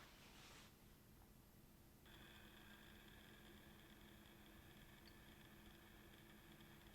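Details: Platinum Blue DC aquarium return pump, decibel test with cabinet doors closed (about 33 dB; 47 W wide open): very faint steady low hum with soft whine, no rattle or surging; quiet, normal running.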